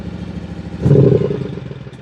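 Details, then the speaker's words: John Deere 757 Z-Trak zero-turn mower on a 50:1 spray shot after a new starter: engine picks up briefly when throttled, then sags and dies within a second; fuel starvation, later traced to a kinked fuel line. "Bleh, just dies. I think we got a fuel issue."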